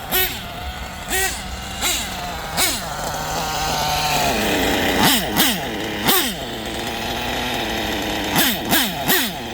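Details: Two-stroke engine after an exhaust leak was fixed, tune still in progress: high-pitched buzz revving up and down in quick throttle blips, smooth and even pull, no popping or sputter from the exhaust; normal running.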